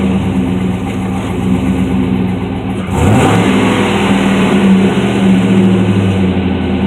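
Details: 2006 Chevrolet Trailblazer SS V8 idling then revving, with a loose, uneven ticking under the note; suspected piston slap, not confirmed.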